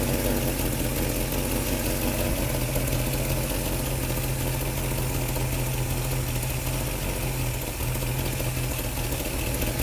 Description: Sounds like exhaust gases are leaking around the flange / seal where the manifold meets the pipe to my ears ...